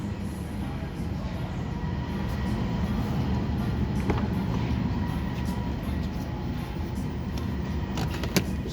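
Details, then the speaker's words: 2021 Nissan Sentra with a low fuel pressure code stored: steady low cranking at 3–4 beats per second with the gas pedal floored, never catching. Crank no start; no fuel delivery suspected, fuel line to be checked. "all right so now no start when you crank it you put my foot down on the gas pedal all the way down nothing"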